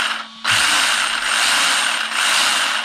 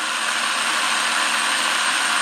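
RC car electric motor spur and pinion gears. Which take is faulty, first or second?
first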